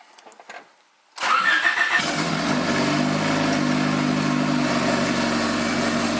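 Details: Honda CRX after a Haltech Elite ECU and engine-bay harness install, first start-up: quiet, then a quick crank catches and settles into a steady, even idle with no stumble; normal start and idle.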